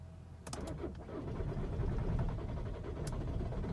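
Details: 2013 VW Jetta TDI 2.0 diesel under warranty, no codes stored, low power and poor mileage; sluggish, uneven cranking about four beats a second that never fires; owner suspects hydrolock, drains the intercooler each time; slow crank, no start.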